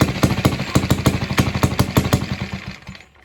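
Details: Villiers barn-find engine at its first start after the head was off and the points were cleaned and gapped. Fuel was fed into the float bowl with no tank; choke on, a spring on the idle screw, and the air filter open. Sharp, rapid, uneven pops that then die away: overspeeding, with a screwdriver adjustment planned.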